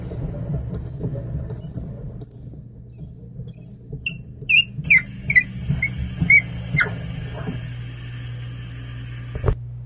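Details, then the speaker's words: Threading a bottle stopper with a tap into a pre-drilled 3/4 inch hole, run dry with no wax or lubricant. High chirping squeaks repeat about every two-thirds of a second as the tap backs out. Dry tap squeak. "You can hear some squeaking. I could probably put some wax on those threads or some lubricant on those thread cuttings, but I am not as of right now."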